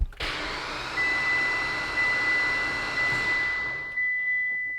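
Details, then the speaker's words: Freshly built 800whp Mitsubishi Evo X engine cranked on the starter with spark plugs out, clutch pressed, fuel pressure off, to build oil pressure before first start: even light whir, no compression pulses, slow surge about once a second. "So it sounds funny because there's no plugs in it, which is much easier to build oil pressure off of because there's no compression at all."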